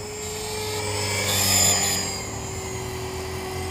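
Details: Trex 450 RC helicopter test flight after a crash, fitted with a Common-Sense RC TR450-35 3500kv 500-watt motor, 13t pinion and a smaller lipo: steady rotor drone with a thin constant squeal swelling with the rotor note; bad, failing main bearing.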